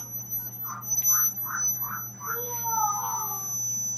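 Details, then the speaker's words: A Samsung A02 phone with a loud buzz under its sound output. A steady low hum and a thin high whine sit under every sound. The cause is unstable current to the audio amplifier; the integrated MediaTek power/audio-amplifier IC is reflowed as the repair. "Samsung A02 mengeluarkan suara, bunyinya seperti ini. Jenis kerusakan ini jarang terjadi. Penguat audio mengalami ketidakstabilan arus."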